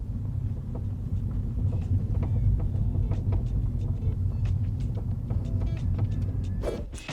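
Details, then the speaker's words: MINI hatch tailgate: sharp irregular clicks and knocks over road rumble, loose boot rattling because its adjustable bump stops are screwed in too far; unscrewing them cures it. "Today we're going to show you how to cure the rattle from a boot of a mini hatch. So if you've got an annoying rattle that sounds something like this,"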